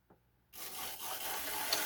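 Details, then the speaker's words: Old AHM ALCO 1000 model locomotive at about 60 power: motor running with continuous hissy scraping rub; loose body cover dragging on the wheels, causing drag and cutting out; needs fixing on. "You can hear that um that cover dragging. It's definitely going to need to be fixed on."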